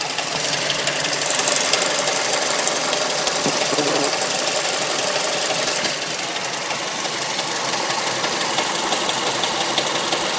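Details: Mazda3 MPS / Mazdaspeed3 turbo petrol engine at idle with fast, light top-end ticking, about three a second; the owner suspects VVT, timing chain or tensioner, not confirmed.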